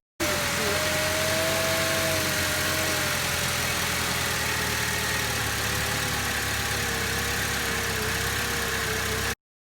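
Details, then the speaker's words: 2005 Mercedes W203 C180 Kompressor, M172 engine, at idle before timing chain repair: pitch wanders as revs jump around and engine nearly dies; timing chain had almost certainly jumped time, with engine management light on. "You can hear it almost dying in that video, and the RPMs were jumping around. It almost certainly had jumped time."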